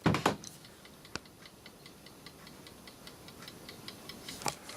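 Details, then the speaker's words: Landis & Gyr / Osaki mechanical time switch on test: faint, quick, evenly spaced escapement ticks in a quiet room, running again after a tap freed static friction. Normal escapement ticking. "so if i give a little just a quick tap on the front on the front and that got the escapement going again because when these things see that they get a little bit of static friction"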